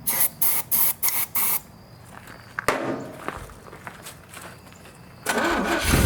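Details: Commando truck with Holley Sniper EFI, first start in a long time, starter fluid sprayed into the manifold: short cranks and brief catches that die. Owner suspects a fuel supply problem: the Sniper, the lines, or fuel not yet through after sitting.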